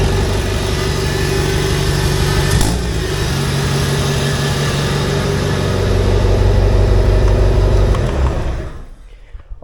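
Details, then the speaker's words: Honda D16 four-cylinder in AWD Integra build, test fire after replacing damaged wiring harness (previously firing on one cylinder), no coolant system fitted: catches and settles into steady even idle with firm low note, then shut off. "right praise God fired up now I'm not gonna let it run very long mostly because we don't have the coolant and all of that set up but now it actually runs right"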